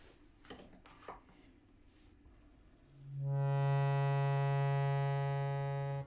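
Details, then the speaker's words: Bhava harmonium reed that had started buzzing after the move to dry Colorado, after removal, re-adjustment and refitting: a clean, steady, pure note with no rattle or buzz; normal reed tone. "much better yay hooray"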